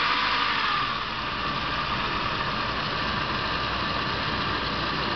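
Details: Saab 900 2.0T at idle, oil level normal, starts and accelerates fine: steady idle with a hissy, rushing noise; some hoses needed replacing, which cured it.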